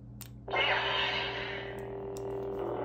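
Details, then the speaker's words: Savi's Workshop lightsaber from Galaxy's Edge, repaired for a no-light fault by replacing a flat flex cable: steady electronic hum with low buzz switches on and holds evenly, no dropouts or crackle, working properly. "and you can turn it on and that is our completely fixed uh lightsaber which was easier than expected"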